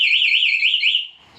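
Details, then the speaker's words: Honda Beat 2020 scooter with newly installed anti-theft alarm in silent mode, simulated break-in: loud warbling electronic siren about one second, rising and falling, then cut off with the unlock button; silent mode only mutes vibration alerts. "Tetap bunyi ya silent itu hanya untuk getarannya saja misalkan ini dibobol matiinnya sama gembok kebuka"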